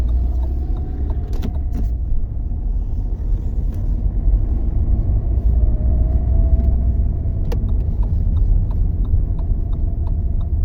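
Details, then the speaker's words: Lada Vesta recorded from inside the cabin while driving: sharp, irregular, unpleasant knocks from the front suspension over road rumble. The cause was worn sway bar links with loose ball joints. "также прилагаю видео как вообще эти стуки проявляли себя правда снимал с салона Но их слышно они такие прямо неприятные"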